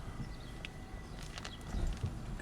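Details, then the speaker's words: 2006 Chevrolet Cobalt SS rolling slowly down the driveway with windows down: dull low clunks and rattling from the front end, also unstable on the highway, from worn front stabilizer links, which are then replaced. "clunking in the front yeah right there see so i leave the driveway yeah so we just go back in the driveway yeah so a lot of rattling"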